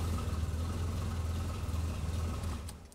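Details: Amphicar after being laid up since a big service, at idle during inspection and oil change: smooth steady low rumble with an even beat, no knocking or ticking; engine running healthy.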